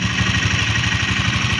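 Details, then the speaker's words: Single-cylinder engine run with the valve cover open: dry, fast top-end clatter every turn; no oil climbs through the feed hole, so the rocker arm has no oil supply. "So wala pong langis na sumasampa rito sa butas na to. Hindi na susuplayan yung kanyang rocker arm."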